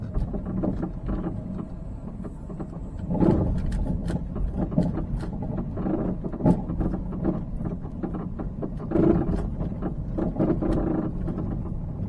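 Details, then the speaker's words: Peugeot 308 driving on slightly uneven road, camera on the dashboard: frequent loud irregular hollow clunks from the front underbody, unchanged when braking so not brakes, suspension-related; shock absorbers also appear long failed. "它底盘下面呢前方呢有一个异响，大家可以听啊，咯噔咯噔的响啊，非常的频繁啊，非常的响啊。"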